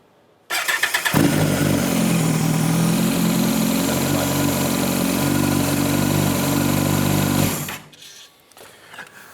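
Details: Kawasaki Ninja ZX-14R, after replacing the long-sitting spark plugs, torqued to 13 Nm: quick crank, then a clean catch into a smooth, even idle with a steady low burble before shutdown; normal start and idle.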